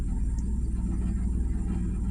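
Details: 1997 Mazda Miata NA at idle with AC switched on: low idle pulsing unevenly, about eight to ten throbs a second; slightly better with AC off; rough idle, cause not found.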